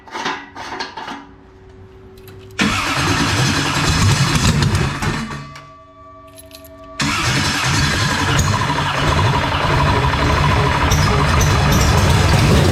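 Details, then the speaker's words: 427ci Dart LS Next 2 race truck V8 on engine run stand, methanol, open headers, a leak being watched; runs rough and loud, cuts out, quiet, restarts and holds; owner first suspected running out of methanol but fuel is present, cause unknown; engine stalling. "run out of gas i think i think we might have ran out of methanol yeah we'll just throw that on the ground oh it looks like there's fuel in there i wonder why it shut off"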